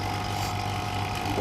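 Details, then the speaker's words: Refrigerator being evacuated with a vacuum pump before gas charging, after about 10 minutes of vacuum: even, unbroken motor hum with a steady mid tone and no surging; vacuum is complete and the pump is running normally. "तो vacuum फ़िलहाल हमने यहाँ पे 10 minute ही किया हुआ है, क्योंकि vacuum ये बता रहा है कि हो चुका है"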